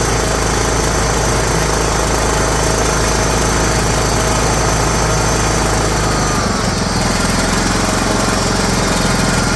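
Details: John Deere GT262 garden tractor started after sitting many years, battery fully charged, starter needing a knock: small engine putters steadily at idle and settles slightly lower near the end, running evenly with no knocks; normal idle.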